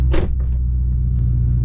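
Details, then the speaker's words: Car in-cabin on a test drive after the exhaust was realigned and a nut and bolt check was done: smooth, even low engine drone with no rattle on the chassis, quieter than before; normal. "Ooh! The exhaust didn't rattle on the chassis. The exhaust always rattles on the chassis when I start it. If I'm sitting inside, it's always rattling on the chassis, so that's a good sign."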